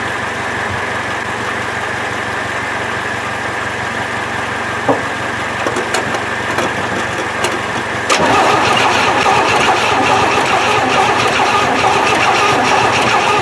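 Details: 1968 Chevy truck, three-on-the-tree, not run in 15 years, battery and gasoline poured in: starter cranks steadily for seconds, never catches; owner finds no spark, suspects coil.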